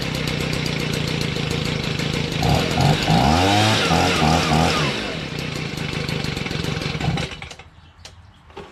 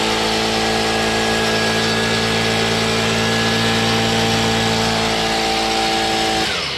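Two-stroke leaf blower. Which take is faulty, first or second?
first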